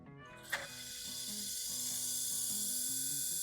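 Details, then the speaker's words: DVD player that sat unused for a long time, disc spinning on power-up: a dry, hissing scrape from the upper disc clamper rubbing mechanically; it goes quiet when the clamper is pressed down by hand. "Eu vou ligar, ele vai fazer um barulho. Tudo indica que existe aqui uma interferência mecânica nessa peça de cima aqui."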